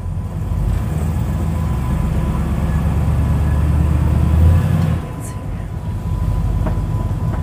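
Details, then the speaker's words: Pontiac Tempest test drive after maintenance: steady road rumble with some suspension noise heard, but no clunking or popping from the steering over bumps. "okay you can still hear the suspension but so far no clunking or popping from the steering which is fantastic"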